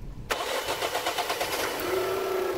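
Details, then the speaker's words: 2021 Dacia Duster facelift 1.0 TCe 100 LPG starting with gas enabled: the starter whirs through several cranking pulses before the engine catches and idles, soon followed by the characteristic click of LPG switching on. It starts much faster if gas was switched off beforehand. "Słychać bardziej dłuższe kręcenie silnika po odpaleniu. Posłuchajcie sami."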